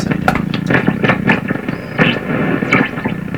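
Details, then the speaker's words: General Electric C600 tube radio on dim-bulb tester, voltage around 116, after capacitor replacement: crackling scratchy bursts and a faint high whistle over hum, erratic; still oscillating and noisy, cause unknown. "okay the fact is that that is really a bad indication I thought all that craziness would go away when I put in the capacitor well there's a lot of craziness in this radio still"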